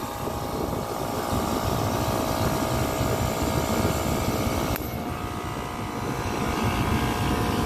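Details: Copeland digital scroll compressor in an Emerson Liebert data-centre precision cooling unit: steady heavy rumble whose tone shifts with clicks as the solenoid valve loads and unloads it; sounds broken but is normal capacity modulation.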